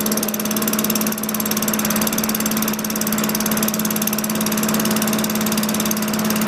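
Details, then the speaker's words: 2003 Craftsman 22-inch mower with Tecumseh 4.5 HP engine, LEV100 carburetor, 70°F ambient: steady, even drone at a slow, lazy speed; pitch changes as the governor arm is moved to add spring tension. Low engine speed from governor setting. "You move the arm forward, it puts more tension on the governor spring. I didn't need to adjust this, but what I did is increased it, and I could hear the change in pitch in the engine."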